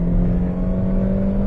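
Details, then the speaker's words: 2013 Dodge Avenger that intermittently dies while driving, floored on the road: engine drones at a low, flat, barely rising pitch, struggling for power; weak fuel pump suspected, fuel pressure test planned. "so one of the things we want to do is a fuel pressure test here one thing that could be an issue is your your fuel pump that would suck to be honest"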